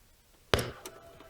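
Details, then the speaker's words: Radio's speaker gives one sharp, loud thump at every power-on, even with volume turned fully down; the model has done this since new, and the real pop is louder than recorded: speaker pop at power-on. "if i power it up makes just the pop noise right into the speaker and it makes it every time so right now it's off if i power it on again and that happens with the speaker off if i turned out the volume completely it still does it so let's try it again"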